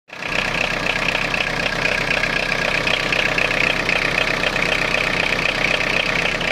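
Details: Citroen Jumpy/Dispatch XUD9TF diesel van clatters at idle with uneven lumpy beat; rough idle, owner suspects air ingress into fuel line despite fuel filter change; timing advance plugged in, hesitates; unplugged rougher, louder.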